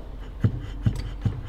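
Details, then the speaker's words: BMW E38 740i air suspension damper: after a rubber piece was fitted between the rattling metal ring and cover, three dull, soft thumps from the rubber end stop, no metallic rattle. "klappert es nicht mehr. Das ist jetzt halt einfach nur noch der Anschlag vom Gummi. Weil jetzt halt das Gummi dicker ist wie der Metallring."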